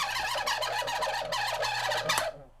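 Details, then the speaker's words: Honeywell fan drawing more than its 0.8 A rating; harsh, rapid screeching chatter over low motor hum dying away as power cuts; dry motor bearing needing oil, possibly too far gone. "if your fan makes that noise, stop using it. Stop. Just stop right now. Because it needs oil."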